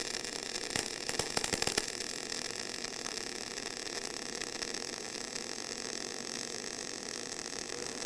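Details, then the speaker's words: Eastwood mp250i 250-amp multi-process inverter welder MIG welding: a few sharp crackles at the start, caused by slightly dirty material, then a smooth, almost silent steady hiss-hum of clean spray transfer, laying a straight bead with no ripple. "wow you can really see that that's pretty impressive that's it's amazing how it goes almost silent yep and that crackling was actually the material being like slightly dirty"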